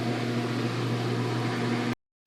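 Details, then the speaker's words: Kenmore 300 Series washer, about 8 years old, on the drain/spin cycle after fixing a no-drain fault with the tub full of water: steady, even drain pump hum with no grinding or rattling, now draining normally. "Take it over to spin. And it's running. That's a good sign."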